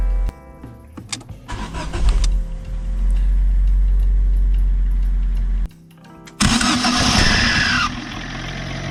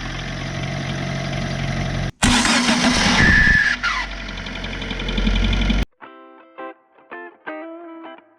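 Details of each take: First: Fiat Seicento after cleaning the noisy starter motor: short, quiet, even cranking without grind or clatter, then engine catches and settles; starter engages cleanly, music in background. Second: Fiat Seicento starter motor before cleaning: harsh, gritty whirring grind for a few seconds while cranking; noisy dirty starter, fixed at no cost by cleaning it.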